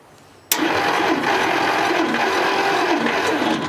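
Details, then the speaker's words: Rare 1957 Dodge Sweptside D100 with factory V8, sitting over 50 years, cranked with spark plugs out for a compression check: the starter turns steadily for about three seconds with an even, regular chug. Compression sounds good and fairly consistent across that bank. ">> Yeah, some of them got good compression. >> She's definitely going to run. Yeah, >> seemed like that side is pretty consistent."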